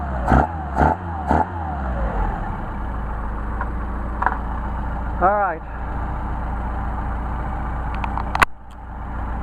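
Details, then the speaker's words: Mercedes 190SL Solex carburetors on test after idle mixture tuning: three crisp throttle blips that rise and drop back cleanly to a steady idle; carburetors respond evenly, normal throttle response. "are some fabulous carburetors tuned and ready to install nice response"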